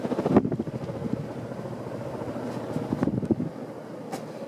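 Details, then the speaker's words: Casablanca Victorian ceiling fan, 1993 motor, on high after straightening a bent blade: even whooshing hum, steady blade rhythm, no knock or wobble; running smoothly. "this thing has kind of a crazy startup line for a k55 fan especially of course it's going real fast"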